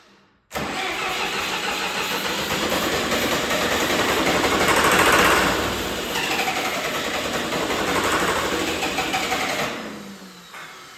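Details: John Deere 450C bulldozer diesel, reassembled, injector lines cracked: starter spins steadily about nine seconds with churning rush, never catches; crank no start, no power to fuel pump and fuel shutoff solenoid.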